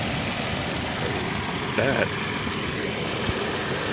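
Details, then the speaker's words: 2012 Toyota Tacoma started right after replacing the EVAP purge valve for a check engine light: steady idle hum with even, unbroken rhythm, no misfires or stumbles; normal idle. "So let me start it up and I'll show you guys how this sounds. So it's kicked on and running now."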